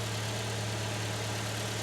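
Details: 2005 Honda CR-V with K-series engine idling right after a DIY fuel injector cleaning; it restarts after air is purged from the fuel system and settles into a steady, smooth low hum with no stumble or miss, a normal idle.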